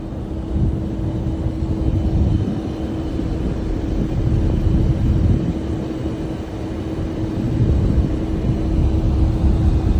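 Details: Heat pump running with a heavy, uneven low rumble that swells and fades under a steady hum. The unit sounds rough; the source of the rumble is unknown.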